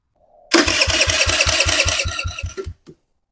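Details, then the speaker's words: 2007 Kawasaki KFX50 four-stroke 50cc quad, after fuse replacement, with aftermarket coil and CDI and NGK plug, even cranking about five compressions a second for two seconds never fires; no spark. "no no spark see if there's any oil in here real quick before we turn her over too much"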